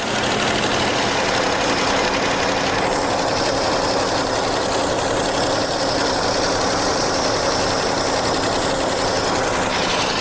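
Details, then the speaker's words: 1976 AMC Pacer, first start in 20 years on squirted fuel: runs steadily with an even, fast-ish idle and no misses or knocks; idle sits a little high. "out of the little high and a little bit there oh"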